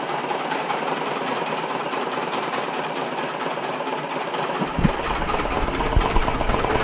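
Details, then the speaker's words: 1980 Honda XL250S single, idling with no air filter after a mouse nest was cleared from the airbox: loose, irregular knocking about three per second over an uneven idle. Owner is unsure whether it is engine knock, an exhaust leak, or an intake air leak. "wish I knew what that knocking sound was what do you guys think I don't think it's an engine knock but I don't know maybe it is"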